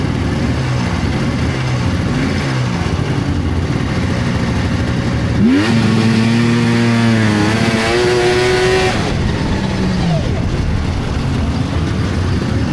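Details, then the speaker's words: 1999 Polaris XCR700 triple-cylinder two-stroke snowmobile with exhaust valves, freshly rebuilt water pump, new plugs and stock can; the new drive belt rides too high with deflection too tight, so a wavering belt squeal rises and falls over the steady engine burble. "So, I didn't put this thing up on a track stand and run it and I probably should have. The belt is way too high. The deflection's too tight."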